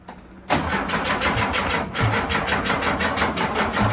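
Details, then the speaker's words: Porsche Speedster replica with a freshened real Porsche engine cranked in neutral with the charger boosting the starter and 2 lb fuel pressure; a fast, even chug that never fires, with no spark because the coil wire was left disconnected. "remember I said when I was cranking away it sounds like it doesn't have spark cuz it didn't"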